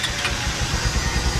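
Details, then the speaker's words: Honda Supremo engine at idle checked for lower-end noise after chain failure: steady, even low putter with no ticking or knocking from the bottom end; engine judged still okay, only idle was high earlier. "Okay pa naman yung makina na sir. Okay naman yung under. Walang lagitik."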